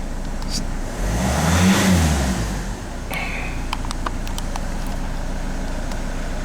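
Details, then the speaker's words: 2013 Ford Kuga 2.0 TDCi after repair of an intermittent no-crank/no-start, traced via power, grounds and CAN high/low checks to an ECU fault: engine revs cleanly up and back down, then settles to a steady, even idle; running normally. "quite pleased with myself now I mean she's all up and running customer can have it back Monday"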